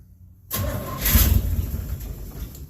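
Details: 1967 Chevelle after rewiring, bad swap-meet ignition coil replaced with previous working coil: brief quiet, quick crank, engine catches and settles into rough idle; starts fine now.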